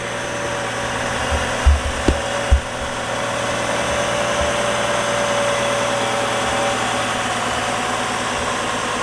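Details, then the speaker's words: 2004 GMC Envoy idling smoothly and evenly after repair of a P0300 random misfire and cylinder 4 misfire; no stumble or shudder, and no check engine light. "all right so the engine sounds good now"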